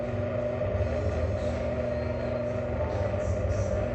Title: Rattley/Grumbly/Bad Bearings Interesting Greenhack Exhaust Fan